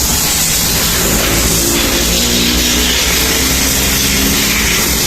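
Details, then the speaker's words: Honda Click 125 scooter, rebuilt after it was noisy and burning oil: the engine ticks over steadily but slow and lazy. The idle is low and still needs tuning, though the engine is now quiet. "medyo mababa yung Menor Pero mamaya na yon it- tune natin to ng maayos yung Menor oobserbahan ko lang muna"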